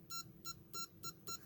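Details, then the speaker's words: Vintage Micronta continuity tester (Radio Shack, c.1989–90, 9-volt battery) after teardown, in momentary and normally-open mode: five short, clean high-pitched beeps about a quarter second apart with LED on; beeper working normally. "It's in latch and normally open mode, so that should latch on. I think you can hear the beeper and see the LED."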